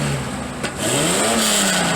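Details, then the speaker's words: Datsun 280ZX after installing a new 2 1/4-inch aftermarket muffler with no resonator. The engine note drops, then swells as the throttle lifts, with a coarse, crackly rasp on deceleration. Owner plans to add a resonator. "I'm glad to get a resonator for it, because when I get off the gas it's a little raspy, as you can hear."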